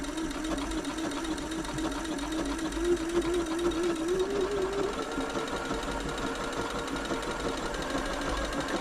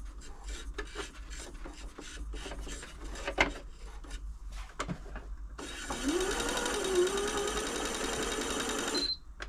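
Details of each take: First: Janome Atelier 6 sewing machine after a full service including the walking foot mechanism: smooth, even whirr with a steady stitching rhythm rising gently in pitch with speed, no clunks or grinding. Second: Janome Atelier 6 sewing machine after refitting the needle plate: even whirr with a faint scraping rub from about six seconds as the plate rubs. Releasing and repositioning the plate stopped the rubbing.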